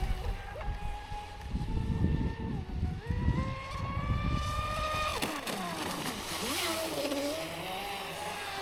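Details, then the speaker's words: Traxxas Spartan SR 6S RC boat after repair, running on water: clean electric whine rising and falling smoothly with throttle over splash; the earlier crackling noise is gone, drive sounds healthy. "Ouais, au moins, il y a plus le bruit de craque crac."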